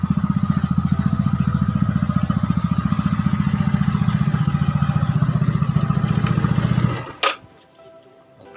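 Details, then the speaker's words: Yamaha Nouvo "lele" scooter, newly bought and planned for bore-up and CVT upgrade, idling: steady, even low thumps about four a second until shut off; runs cleanly, still starts strongly. "Nah suaranya Lur ini setelan klepnya habis nggak begitu kencang karena habis dipecok-pecek atau habis di endrayani"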